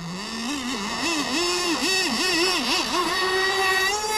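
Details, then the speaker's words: Kyosho Jetstream 1000 nitro RC boat with a GT32 marine engine, on the water: a high, buzzy note wobbles with throttle blips, then hangs low and flat, loading up at low throttle and nearly dying. Owner suspects it may be taking on water. "it really does like to load up in the low throttle she might be taking on water too"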